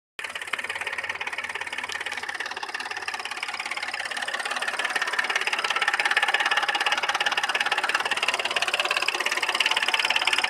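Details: Audi A6 C6 3.2 engine: sharp metallic knock about three times a second, steady and regular over a rough-running engine with misfire and lost power; cause unknown.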